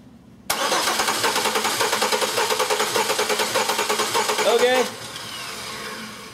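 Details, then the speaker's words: Car cranking with ignition disabled and one spark plug out, the engine having one of six cylinders completely dead with no compression; starter turns with a lumpy, uneven rhythm, an inconsistency that a trained ear can recognise instead of running a compression test. "did you hear the way the car cranked did you hear the inconsistency in that crank once your ear is trained to that sound it almost at times will eliminate the need to do this test"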